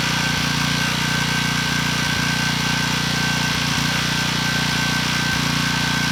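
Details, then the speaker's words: Briggs & Stratton engine on a Storm Responder generator, under 50 hours, previously ran out of oil. It runs at a steady speed while a sharp metallic knock cuts through at intervals. Owner suspects rod knock. "Well, I knew it was too good to be true. This engine looks great. It actually runs, but it has a knock."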